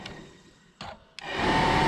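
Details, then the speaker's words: 1969 Plymouth Valiant heater box heater blower motor, removed from car, bench-tested on its connectors; clicks then steady even hum with light whir, first called low but corrected as high speed; switch issue suspected inside. "And I'll show you that I have low speed. Oh, just blew out all that stuff. There's low."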